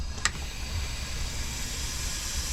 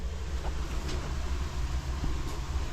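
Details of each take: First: 2023 Sea-Doo GTX 300 Limited with stage 1 tune, slow at 74 mph; engine off, supercharger pressurized with homemade tester: steady airy hiss of air escaping from a boost hose after a brief click — boost leak found. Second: 2023 Sea-Doo GTX 300 Limited, stage 1, after retightening the boost clamps once warm. Even low idle rumble with no hiss or whistle; boost side holds pressure, no leak.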